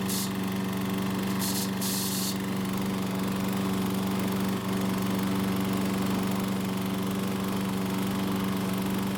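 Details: Troy-Bilt mower with the recoil rope guide held a few inches lower on the handlebar to cut rope travel: steady, even hum with no starter chatter; normal running after the fix.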